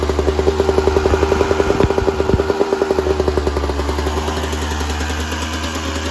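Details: 1996 Yamaha YZ250 two-stroke, fully warmed up, pipe too hot to touch, before carb work: ringing idle, then stumbles and loses pace when opened up; small blips okay, bogs on more throttle, suspected pilot jet issue.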